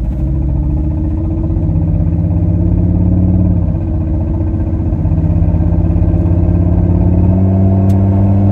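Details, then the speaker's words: 2002 Ford Excursion V10 climbing a hill under load, heavy drone with uneven stumbling that comes and goes, alternating between misfiring and running on all 10; worse under load than cruising; misfire followed the swapped coil, a failed ignition coil. "smoothed out so it just kind of goes back and forth between the misfire and running on a on 10"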